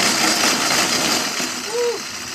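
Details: Homemade curved gravity roller treadmill run barefoot without its belt: loud, dense rattling clatter with sharp knocks throughout; bare rollers clatter badly, which is why a belt was added.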